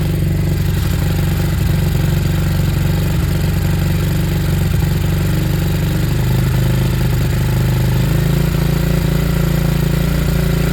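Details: Hanway after a carb conversion, choke off, idle adjusted, on a temporary, spilling fuel setup. The small single thumps along at an even, steady idle with no misses or mechanical noise; a nice normal idle, expected to cut out as fuel runs low.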